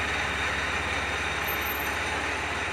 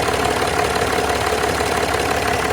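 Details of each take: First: Land Rover Discovery 4 with the 3.0L SDV6 diesel at idle: a fast, even metallic rattle at about four per second from the front of the engine; the auxiliary belt and tensioner were replaced, cause not confirmed. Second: Land Rover Discovery 4 3.0L SDV6 diesel, loud rattle addressed by replacing auxiliary belt and tensioner: steady even idle with light regular combustion clatter, no rattle or knock; normal, healthy idle.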